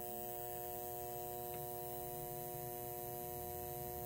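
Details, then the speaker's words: Speaker output transformer from a 1947 Sentinel 294T radio, leads plugged directly into a 120 V outlet, secondary reading only four or five volts: faint steady mains hum with buzzy overtones; transformer hum, something strange going on. "happening get that transformer home and I'm only getting four or five volts on this secondary so something strange is going on"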